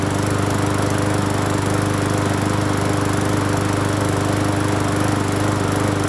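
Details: Free Hyper Tough 20-inch push mower after carburetor and gas tank cleaning, with Seafoam-type motor treatment added, holds a steady, regular putter with no surging, sputtering or rattles; running smoothly, not shaking as badly as before.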